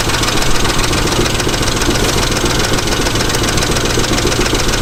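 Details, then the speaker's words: Truck engine with anti-lash followers, oil pressure good and no miss: rough idle with uneven knocking, loud then quieting to a tick or silence then returning; intermittent knock, cause not yet found, seemingly from one side. "I mean you could hear that it'll knock real bad and then it quiets down someone it goes to just a tick and then if some points it'll be dead silent and then it'll come back"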